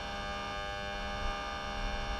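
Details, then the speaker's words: Mercedes 600 with repaired throttle bodies, ignition on and all computers connected: steady electric buzz with many even tones as the throttle actuators learn and hold position, which is normal. "so put an ignition just like now first thing you hear is the buzzing noise that's learning that's it and second throttle buzzing"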